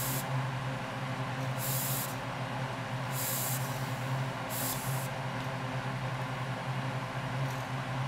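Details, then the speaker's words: Coleman 424 dual-fuel camping stove after running: filler cap eased in small turns, four short bursts of hiss over a steady low hum as tank pressure bleeds off normally, preventing fuel spraying out. "now slowly just give it little turns and let the pressure out of the tank hear that just like that bleed the pressure off"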